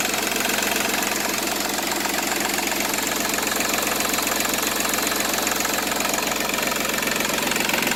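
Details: Seat Ibiza 1.4 TDI three-cylinder turbo diesel with 205,000 km at idle: steady even unhurried clatter, no odd knocks or misses; runs like a new engine.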